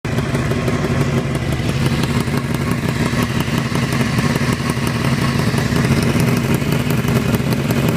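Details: Honda CBR 600 inline-four running with a fast clattery tick mixed into the exhaust rumble; the tick cannot be heard under deceleration, cause unknown.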